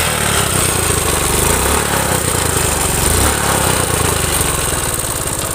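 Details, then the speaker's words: Suzuki Smash motorcycle engine: rough, uneven clattering run with a loose metallic rattle at idle; connecting rod and piston worn loose, smoking at the piston rings, sprocket worn; worn connecting rod big end and crank bearing. "bisa kita simpulkan bahwasanya tiang sokarnya juga, tiang pistonnya udah oblak, piston juga udah oblak, udah berasap di bagian ring pistonnya."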